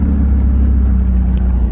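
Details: 1991 Mazda Miata 1.6 with aftermarket headers, driven to a muffler shop and heard stopped at a red light: loud, deep, unmuffled idle drone. Exhaust leak ahead of the cat.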